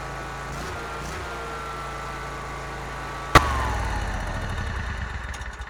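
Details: Bobcat ZT219 zero-turn mower after replacing the broken throttle cable and re-bending the choke rod: steady low engine hum, then a sharp catch as it fires and settles into an even, slightly pulsing run; sounds healthy.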